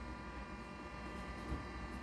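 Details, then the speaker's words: 1985 Atari SH204 20 MB external hard drive at power-on: a steady airy fan rush with a thin constant whine and beeping as it initializes, with no scraping or knocking. The fan and drive spin up fine, though the activity light is not lit. "then in wow sounds like an airplane taking off at least it's the fan is spinning you could hear it beeping it's reading or at least it's uh it's initializing"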